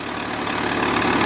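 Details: 2002 Kia Optima with P0102 MAF circuit low code that stalled in drive; after replacing a dry-rotted 5/32 vacuum line, steady, even idle with a smooth unchanging beat, no hunting or stumbling; engine holds idle on its own.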